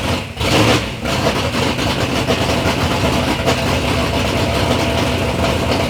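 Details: Third-gen Camaro with big-block Chevy V8, first start-up after years of building: quick blip, then a deep, steady idle with a firm, even beat, no knocks or ticking; normal, healthy idle.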